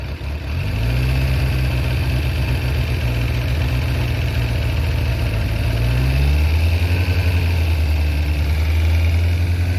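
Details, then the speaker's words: Kawasaki ZZR1100 four-cylinder engine idling and revving briefly with a light metallic rattle: camshaft holder bolts loosened in worn aluminium threads in the cylinder head; repaired with Helicoil inserts. "when it's uh engine is operating it will uh shake the uh the the m in the mounting holes and it will loosen uh the thread so then uh yeah it starts rattling"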